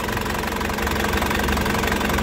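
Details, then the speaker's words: 2004 Isuzu Panther LS diesel, engine already warm from driving, at idle: steady, crisp, even clatter with a low constant rumble and no missing; no smoke, engine healthy. "suaranya renyah, mesinnya juga tenang, tidak pincang, ya. Jadi tandanya mesinnya itu insyaallah sehat."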